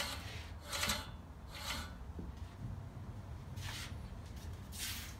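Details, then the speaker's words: Scott Bonnar Model 45 mower, professionally sharpened reel and bed knife, after adjustment to the bed knife: quiet light swish as blades brush the bedknife while the reel coasts, no binding or grabbing, not too tight; reel set correctly. "across the bed knife the reel spins freely doesn't sound like it's too tight if it was too tight it would be grabbing and we just wouldn't spin freely"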